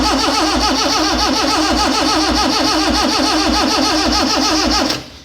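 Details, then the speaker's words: Freshly rebuilt Morris Minor engine, no oil pressure yet, first start attempt; steady cranking about four turns a second with no firing, spark present but no fuel, firing order suspected out. "all right so to me doesn't sound like it's getting fuel"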